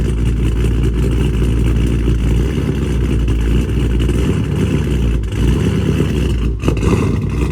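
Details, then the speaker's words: Dodge Charger Scat Pack widebody 392 V8 on E85 tune, after boost-a-pump and 1050X injectors installed (previously running lean), cold start: deep, lumpy idle rises and dips unevenly with brief stumbles, hunting for idle speed; cold-start surge, settled after about 1.5 minutes. "It is going to surge on the startup, and then once it gets to like that little idle level, it'll it'll pretty much like regulate itself."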